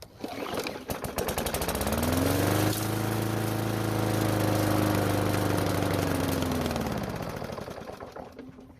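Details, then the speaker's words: Cheap mower after budget rebuild, primed with starting fluid: rough pull-start chugs, then runs about five seconds and stalls; owner suspects carburetor problem. "problem well if finally started but it died after 5 Seconds of running which would point to a carburetor problem"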